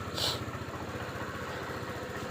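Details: Small single-cylinder Suzuki Samurai motorcycle after a DIY hard-start fix: ticks over with quick, even pulses and no misses or knocks; idles steadily and sounds healthy.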